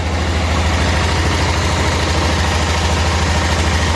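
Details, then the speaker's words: 1988 Club Car golf cart, 8.5 hp Kawasaki engine, barn find, in gear with one wheel spinning; even low thumping at steady idle, no knock, stumble or grinding, quiet, not smoking, running fine. "that's a sweetheart isn't it nice and quiet not smoking smooth when it runs"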